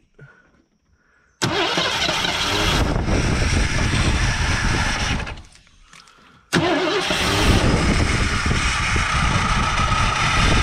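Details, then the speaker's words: 1984 Ford Thunderbird 5.0 V8 that sat for years, cranking at length with steady, even starter churning and never firing. No fuel is reaching it, and the owner plans to unplug and check the injectors; crank no start, no fuel pressure. "we've heard it run we know it'll run if we get gas to it injectors to it we know this engine will run"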